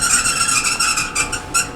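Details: Kenmore Elite Oasis clothes dryer before repair: loud, high shrill squeal pulsing about twice a second as the drum turns, from a seized idler pulley; fixed by replacing idler pulley, roller wheels and drive belt.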